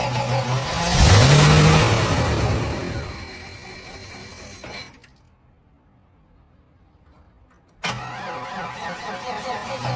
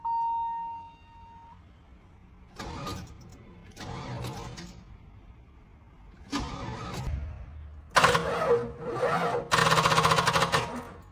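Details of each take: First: 32-year-old Cadillac Fleetwood Brougham 5.7L V8 first start after a starter repair and freeing a stuck fuel pump by hammering the tank; spark and fuel confirmed. Engine catches with a strong rev, then settles into a steady, even rumble with no misses or knocks; running normally. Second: 32-year-old Cadillac Fleetwood Brougham with a 5.7L V8, cranked on a temporary battery. Several short, slow, labouring cranking bursts that never catch. Owner first suspected the battery, but the starter turned out faulty, bodged with glue by a previous owner.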